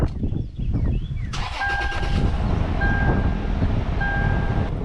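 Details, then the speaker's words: 4th-gen Toyota 4Runner V6 after new spark plugs; old plugs were gapped 0.055–0.062 in against a 0.043 spec and likely caused idle hesitation and poor mileage. Catches quickly and settles into a smooth, steady idle with a chime beeping; normal idle. "I can already tell that idle is so much better. This idle feels so much better now."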